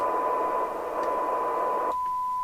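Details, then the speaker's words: LCL Communicator NI440DX CB27/81 UK FM CB radio on receive with a signal generator; test tone buried in loud hiss that suddenly drops to a thin tone, measuring 1.6 microvolts for 12 dB SINAD; poor receiver sensitivity. "adjust till we get 12 db it doesn't sound right i will tell you that rx is 1.6 microvolts for 12 db cylinder"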